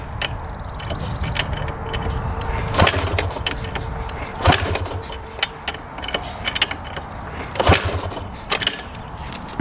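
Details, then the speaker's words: 1997 Yamaha YZ250 two-stroke, as bought, non-running: a few sharp kick-start thumps every couple of seconds with no firing or catch; seller said it sounded close to firing but never would; cranks but won't start. "You can kind of hear it when I fire up, and the seller said it would kind of sound like it was going to fire, but never would."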